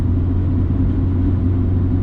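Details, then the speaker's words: Roof rack crossbars at highway speed, about 67 mph and worsening from 60: heavy steady cabin rumble with a constant low howl riding on top from the crossbars, before any fix is applied. "yep and then at 67 the howling gets more worse"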